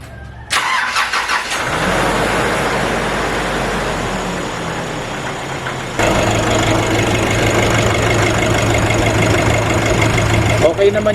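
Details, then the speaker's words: Nissan Navara NP300 diesel after replacing the squeaking alternator pulley, first start after sitting about two days: cranks and catches cleanly, steady clattery idle, no belt squeak or chirp at any point. "Wala akong narinig na kahit ilang seconds lang na nag-squck siya."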